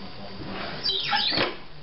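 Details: Dishwasher running with a short rising chirp and squeal over a low running hum, then faint ticking; abnormal noise, cause not evident.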